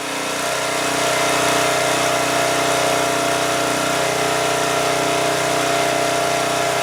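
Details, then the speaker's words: 2002 Coleman Powermate 5500 generator after carburetor cleaning and motor mount repair: steady high-pitched no-load drone, engine overspeeding and putting out 135 V because the governor spring is set too far, possibly tampered; to be backed off. "but 135 volts is too much so I'm going to back this off"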